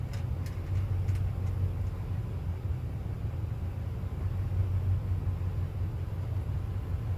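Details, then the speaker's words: Rebuilt well pump engine after a dropped compression release valve, with replaced head, new gaskets and new radiator: low steady even thumping, no knocking or rattling; runs much better now, normal running. "so we had to end up replacing the head and then while we had it apart we just you know put all new gaskets on everything put a new radiator on it and you know it seems like it runs way better now"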